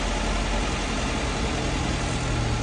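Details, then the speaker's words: Mazda E1600 Bongo ute, just revived and first started on choke. Low, slightly lumpy idle held only on full choke; it stalls without it. Owner suspects the idle setting and plans to adjust the idle screw; not confirmed. "won't keep running without the choke so I think I've got to adjust the idle which is one of those screws in there"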